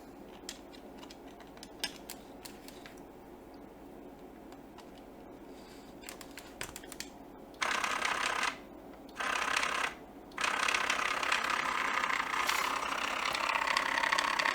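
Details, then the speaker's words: Samsung Jet 90 Pet vacuum turbo brush, little used, dirty belt-driven drive running before disassembly: quiet ticking, then loud, rough, rattling whir in bursts. The drive part is clearly damaged. "There are some clips here. It's making a lot of noise. So this part is definitely damaged."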